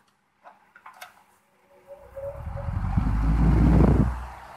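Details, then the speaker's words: Homemade parts-cooler fan built from an A/C condenser unit: a few clicks, then airflow whoosh building smoothly over two seconds and evening out; normal startup on low speed. "oh and that cool startup sound i think this is at low speed let's try it"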